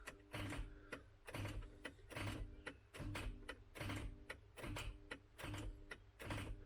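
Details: MK3 Ford Cortina with seized Kent engine, starter engaged to try to shock the flywheel free: rhythmic clacking bursts a bit over once a second, no turnover; solenoid likely dropping in and out as current shorts.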